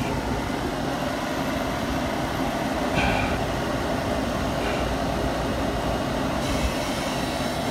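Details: Compressor whose start components had all burned up, tested wired common, start and run; once started it holds a steady low hum with no clatter or stalling, running normally.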